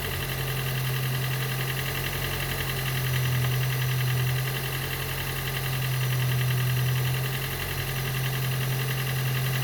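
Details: Gen 2 Toyota Prius 1.5L hybrid with codes P3190, P0A0F, P3000 and P0A80, engine running after being turned by hand while the HV battery charges: low uneven drone with a soft pulse of about 220 a minute that wavers in strength. Diagnosed low compression, causing the cold no-start.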